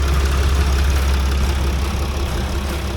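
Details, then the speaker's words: Sprinter van after replacing pulleys and seals: steady, even low idle with no bearing rumble, belt squeal or leaks; the earlier bearing noises are gone. "No more of those nasty bearing sounds that I've heard. We're all good now."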